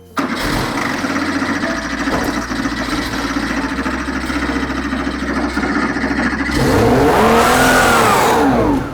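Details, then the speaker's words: 1980s classic sports car barn find unused 16 years, first start; rough catch then revs soar and hang high with no input, running rich with heavy smoke; throttle stuck open, engine switched off immediately. "I know exactly what's happened the fra was stuck on then so that's why it revved out so when it cut out that was me turning the engine off immediately"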